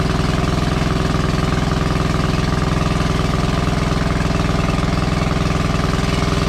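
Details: WWII Chore Horse 300-watt battery charging set, model CH1 395-5, original 1940-41 paint, cleaned not refinished: steady, even single-cylinder thump about two beats a second, no misses or knocks; runs smoothly and works great.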